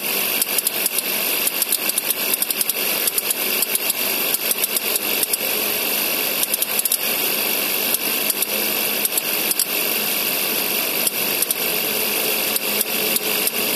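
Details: 2011 Suzuki SX4 with M15A engine, Indonesian market spec, at idle: fast, uneven ticking over steady idle from the AC compressor clicking.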